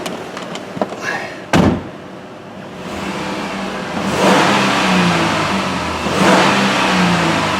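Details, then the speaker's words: Jeep Liberty 3.7L V6 after reconnecting broken electronic throttle control connector, following #4 and #6 exhaust valves not opening: revs up twice cleanly and evenly, no more misfires. "baby. No more misfires. Get the occasional fish bite."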